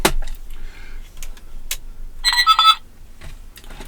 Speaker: There's a beep. Oh, it's working now.